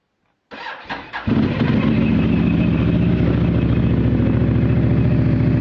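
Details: Mitsubishi Outlander at cold start: cranks briefly, catches, then settles into an uneven, lumpy idle with a clattery pulse about three or four times a second. Cause unknown.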